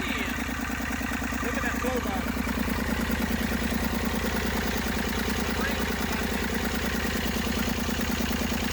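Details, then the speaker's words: Massey Ferguson 35 diesel tractor, unseized after 20+ years in woods, tow-started in third high after starter failed: steady chug at idle about two beats a second, no missing or knocking; normal running. "Starter gave out on me. Pulled it off. It took it about, I don't know, 300 yards to build up enough compression and heat. And it finally started popping off."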